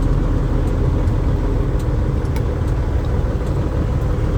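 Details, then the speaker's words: Diesel truck at idle before repair: heavy rumble with a rough, puffing edge over the steady idle; exhaust leak. "all right guys it's time to pull rooster back in and get this Dar exhaust leak fixed I don't know if you guys can hear it or not but it's"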